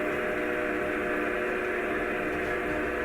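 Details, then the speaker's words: DC backup pump on rainwater filtration system, suction open, discharge isolated, drawing 3–4 amps: steady even motor drone without load build, doesn't sound good; pump starved by clogged suction filter. "It should slowly raise the system pressure. Doesn't sound the best."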